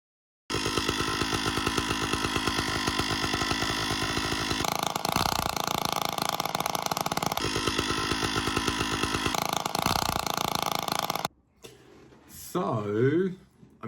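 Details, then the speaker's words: Stihl 056 AV Super chainsaw with a strange noise the owner thought was internal; spark plug finger-tight and running on choke. The engine buzzes at a steady fast speed with only a faint plasticky rattle, believed to be from the starter or recoil side, so it runs normally. "there's a slight uh slight plasticky rattle but i believe that's the starter so uh that's good"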